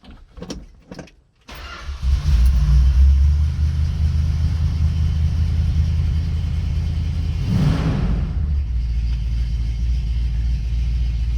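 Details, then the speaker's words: 1967 Plymouth Fury III start with the top up and windows nearly closed: short crank, quick catch with a small blip, then a smooth, deep, even idle that holds steady; engine sounds healthy. "let's see how it starts and what it sounds like with the top up"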